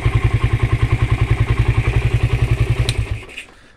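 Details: Suzuki Satria FU that had stumbled and would not take throttle, with the original regulator/rectifier in place of an imitation one: even, steady thumping about nine beats a second, no misses, then cuts off; normal idle.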